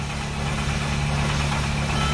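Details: 2008 Mercedes Sprinter cranking steadily with a low drone but never catching into a clean firing beat, after rail pressure regulator valve reset; crank no-start, cause suspected, not confirmed.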